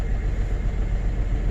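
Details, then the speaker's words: 2005 GMC Envoy after rodent damage, at idle: deep rumble stumbling unevenly, door shaking; misfire, suspected cylinder number three, to be verified. "she runs pretty rough I don't know if you can see the door shaking but [Music] it is running rough it definitely feels like a misfire"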